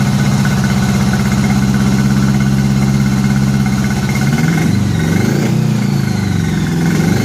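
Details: 1983 Honda Gold Wing flat-four after new head gaskets, first run with no coolant. Lumpy, uneven loping idle that falters as revs shift, firing on only some cylinders; previous owner had replaced all coils and wires chasing it: misfire.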